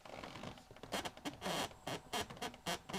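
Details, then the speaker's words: Rolls-Royce Silver Spirit III dashboard: irregular dry creaks, about two a second, as the dash panel is pushed; a screw is missing from the side bracket, letting it move, plus some loose screws; fitting the screw is expected to stop it. "And you hear the creak? So I think if there was a screw fitted in that bracket like they're supposed to be, it would stop that noise."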